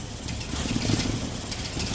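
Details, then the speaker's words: Datsun on distributor ignition after two coil-on-plug coils died; plugs 2 and 4 wires swapped during troubleshooting. Low, lumpy, stumbling misfiring idle with wavering loudness. When it dies it sticks and pops out the intake manifold; fuel table to be changed. "but you'll see that when it does die um it basically gets stuck if you will and then it'll pop out of the intake manifold"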